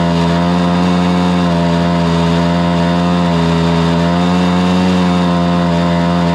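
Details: Stihl BR430 two-stroke blower after the bogging fix: carburetor cleaned, then the high-side carb limiter adjusted. It screams at steady full throttle with an even pitch and no bogging, running clean.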